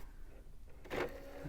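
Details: Cheap pink thrift-store DVD player being tested as a CD transport: a quiet hum, then a short rough whirring burst as the disc mechanism spins back up, louder than it should be. The disc drive mechanism is noisy.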